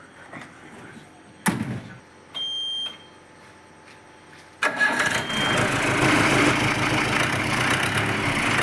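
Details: Jeep diesel engine after gearbox, engine, diesel pump and collapsed radiator hose repairs for a humming noise and overheating: short crank, quick catch, then a steady, even idle with no hum or knock.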